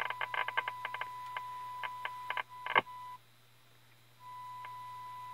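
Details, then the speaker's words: 1932 Tiffany Tone Model 5 radio on test with signal generator at 465 kHz IF, full volume: steady test tone crackles, pops and cuts out for about a second; cause was a cold solder joint on a tube socket pin, resoldered. "okay we had a cold solder joint on one of the pins on the bottom of this tube so went ahead and fix that and the signal is way loud now"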